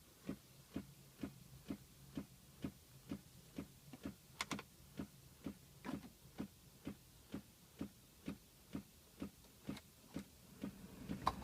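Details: 2006 Pontiac Solstice: steady, sharp clicking about two clicks a second, present all the time since the battery was changed, with a low hum rising later; cause unknown.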